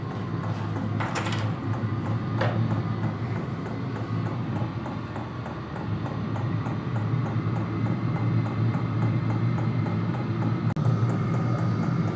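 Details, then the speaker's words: Vevor toolbox diesel air heater in an enclosed trailer just switched on: steady low blower hum with light ticking the owner guesses is the heating element warming up, no grinding; normal blower operation. "So, I turn the unit on. Feel some air blowing. So, we're starting to make a kind of a tapping sound."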